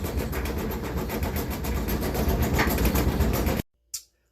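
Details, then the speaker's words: Kenmore-type dryer running with door closed: heavy low rolling thump, about four beats a second, with the cabinet rocking. Caused by worn, flattened rubber drum support wheels, to be replaced along with the belt. "if you got this noise and the thing is rocking all over the place okay this is your problem"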